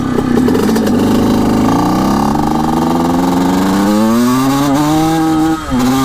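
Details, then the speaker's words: Suzuki RM125 two-stroke, about 1979, with 155 psi compression, run without its air filter after the needle clip was moved richer. It gives a ringing tone that climbs slowly and wavers, then dips, no better than before: poor running, cause not found. "ah yeah it's not better let me tell you that i don't know it's a tough one"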